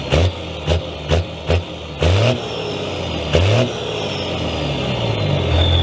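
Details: Second-gen Cummins diesel in a 3500 dually pickup, startup (not a cold start) after a year at the shop for transmission repair: several crisp throttle blips then a steady climbing run, revving clean and even with no knock.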